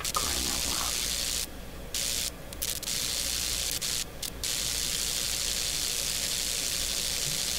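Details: Westinghouse Model 1029 multiband tube radio after replacing four cracked grid cap lead wires: even hiss of band static from the speaker that drops out briefly; the audio stage is working normally.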